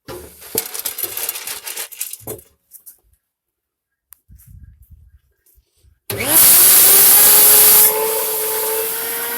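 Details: Farmer IZE-05 electric grain grinder: motor spins up to a steady whine with a gritty hiss as grain feeds through; normal grinding, though corn tends to stall feeding and must be fed in a thin stream.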